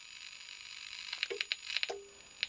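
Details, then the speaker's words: Victron Atlas Combi 12V/800W charger/inverter transformer under high-voltage insulation test (set up to 6 kV): sharp, irregular snapping clicks over near silence, flashovers to ground from defective winding insulation; sparking seen, unit considered dead. "see that sounds bad the clicking noises we can hear is actually flashovers to ground so i think we have a defective insulation inside this transformer"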